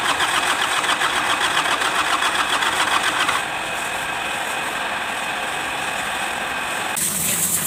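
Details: Kubota D905 diesel with hard starting and blow-by: starter grinds over at about two and a half beats a second, cranking on and on without catching; hard starting.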